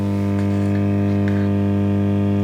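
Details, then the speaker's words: Orange Matamp ORST amp, possibly early 1960s, wire soldered to volume pot centre pad, volume at worst hum position: loud steady low buzz with strong fundamental and stacked overtones, much worse during hum troubleshooting; heavy mains hum. "hear that ten times worse so we're kind of on to something"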